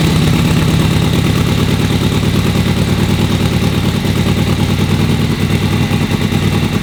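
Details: Vintage V-twin motorcycle on spring start-up after winter, full choke and full throttle, kicked several times: a steady, even V-twin beat with no squelchy crankcase-oil noise or clatter over the exhaust. It is running normally.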